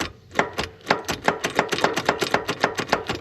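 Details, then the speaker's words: Hustler Z zero-turn mower after half-finished engine swap, fuel shutoff solenoid unplugged to stop a 30 A fuse blowing, safety switches bypassed: rapid dry clicking about five per second with no cranking; starter clicking, no crank, cause unconfirmed. "You can hear it now. It at least tries, but the starter's jump."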